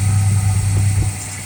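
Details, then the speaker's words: 1968 Pontiac LeMans after an engine rebuild, warming up at raised RPM for break-in: smooth, even low drone with no knocks or ticks, then it settles lower; good oil pressure, charging, water temp just under 200°F. "The important thing here is to warm up the engine. I'm going to bring the RPM up a little bit. Let this thing break in a little better than it has been."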